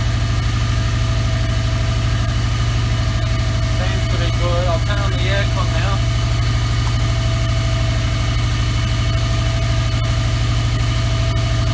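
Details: 2003 Subaru WRX idling after the AC belt tensioner pulley/bracket was replaced and the belt tightened; the belt had squeaked with the AC on after a regas. Smooth, even idle with a steady low hum and no belt squeal or chirp: normal idle.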